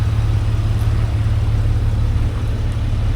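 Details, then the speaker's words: 2005 Jeep Wrangler TJ 4.0L, fully warmed up, idling steady and even; the whistling/buzzing noise is gone. "As you can uh as you can tell, no more whistling or buzzing, whatever the hell that noise was it was making."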